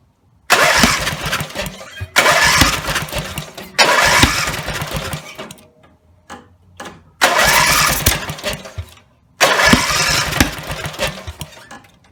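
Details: Rebuilt Briggs and Stratton 17HP (carb rebuilt, plugs, sump, oil slinger, gaskets replaced, valves reseated) catches and roars at full throttle a second or two, then fades and dies, repeatedly; won't idle; owner suspects the throttle linkage lever isn't resting on its screw.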